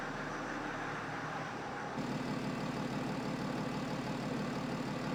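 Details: BMW 525d F11 diesel, first run after engine rebuild and reinstall: soft, steady, surprisingly quiet idle with no knocks or rattles; normal idle.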